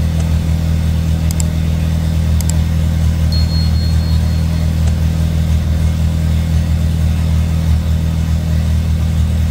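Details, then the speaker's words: Handmade helicopter engine running after a new injector and a welded-in oxygen sensor were fitted and tuned: steady, even low hum with no knocks, misses or dips; running smoothly. "موتورمون خیلی عالی داره کار می‌کنه ۹۰ از کار موتورمون تموم شد خیلی عالی صاف داره کار میکنه"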